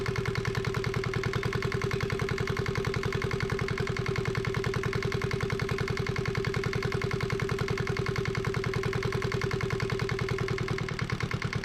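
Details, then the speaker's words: Yanmar 1GM single-cylinder marine diesel from a sailboat, run in a shop, started after bleeding the injector inlet line: even, steady idle thump about 200 beats a minute, no misses or knocks; normal idle. "thank goodness that I've got it running um and it's not bouncing around nearly as much as I thought it would"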